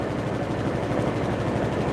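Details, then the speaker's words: Whirlpool WTW5057LW0 HE top-load washer in spin during a stain test; fast rhythmic thumping chop over steady spin roar, no pitch change; abnormal knock, cause not identified. "The hell was that? Damn, I think my washer might be having a heart attack."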